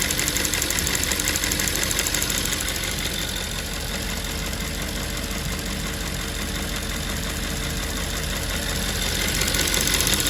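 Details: Audi S5 4.2 V8 (2010) at idle: fast, light ticking about three per second over a steady idle, from a faulty fuel vapour purge valve clicking; fixed by replacing the purge valve.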